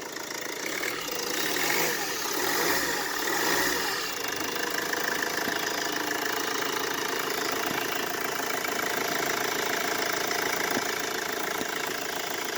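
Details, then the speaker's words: Mercedes Vito W639 OM646 diesel, which squealed and knocked from the AC compressor mounting when cold: after fitting a shorter belt that bypasses the AC pulley as a temporary winter fix, it has a steady, even diesel idle with no squeal or knock. "Ну что ж запускаем всё звука нет"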